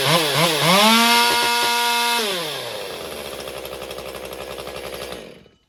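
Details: Stihl MS201TC chainsaw after performance work, idling 30 seconds to settle the idle fuel settings: revs surge unevenly, hold briefly, then sag and die out, stumbling as if starved for fuel; cause suspected, not confirmed.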